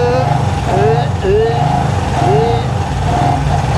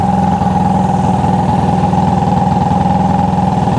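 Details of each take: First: Honda CB360 twin, dead cold, kick-started on choke; lopsided beat running only on number one cylinder, number two not firing until warm because its ignition timing is set wrong, cylinder misfire. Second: Honda CB360 twin, cold, number two cylinder not firing due to bad ignition timing; after adjusting points so the LF mark lines up, a steady, even twin idle with no misses or stumbles, engine calmed, then shut off; normal idle.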